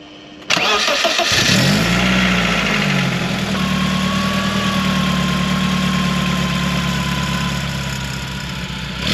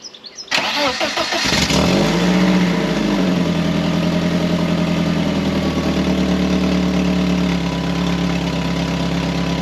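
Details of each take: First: 1997 BMW Z3 1.9 litre after fitting a new exhaust with catalytic converter and rear silencer: engine fires up and idles smoothly and evenly, no puffing or ticking; exhaust leak apparently sorted, normal exhaust note. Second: 1997 BMW Z3 1.9 after fitting a new front exhaust section with catalytic converter, O2 sensor hole left open: quick crank, then a loud raspy idle with sharp chuffing puffs, exhaust escaping through the hole.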